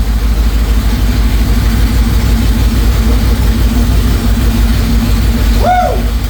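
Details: 2004 Mercury Marauder with a freshly built forged supercharged 03-04 SVT Cobra V8 at first start: loud, steady open-header idle with a deep, even rumble and no knocks or ticks. Oil pressure is good, with a small oil leak and the battery not charging.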